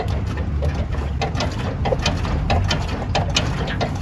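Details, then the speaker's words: 2000 Toyota Hilux SW4 turbo diesel, parked and rocked side to side, gives sharp metallic clunks about once or twice a second from a loose stabilizer bar end link; on the road it clicked on slow, uneven, side-to-side movement. "você tocando na peça você sente tanto barulho como a vibração então Esso aqui a gente conhece como vieta vieta aqui da da barra estabilizadora"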